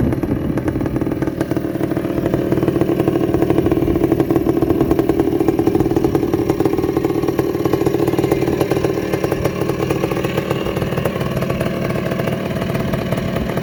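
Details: 1984 Honda ATC250R air-cooled two-stroke three-wheeler, engine freshly rebuilt with new crank bearings and top end, after early start trouble with a suspected bad ground: rough, busy putter with steady crackling exhaust, no knocks or grinding; running healthy.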